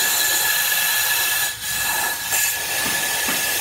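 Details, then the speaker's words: Toyota RAV4 2.0 AZ-FE cylinder head, removed after overheating from coolant loss warped it and blew the head gasket: steady high hiss of compressed air escaping past a closed valve held by its spring; valve not sealing, needs a valve job. "these valves are closed right now they're being held into the cylinder head with a spring so we should not see this and on a really good tight valve that won't be the case"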